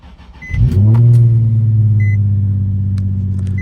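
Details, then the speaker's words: Nissan 350Z, six-speed, 176,000 miles: cold start with a quick crank that catches at once and flares, then settles into a smooth, steady, even idle with chime beeps behind; starts right up, normal healthy cold start. "Let's get this thing cranked up so you can see the mileage and how it starts. This cold start."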